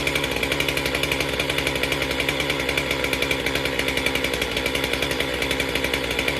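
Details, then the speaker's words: Stihl MS462 chainsaw after new fuel filter and cleaned air filter, before calibration reset: steady high-revving two-stroke buzz with crisp even firing, no stumbling or surging; runs cleanly and healthy. "I feel like, and the saw sounded healthy. Let's just fire it up and see how she does, and then reset it."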